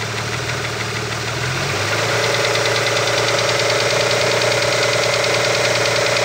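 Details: Opel Omega B at idle: steady light ticking knock about three per second, attributed to the exhaust camshaft on the second cylinder head.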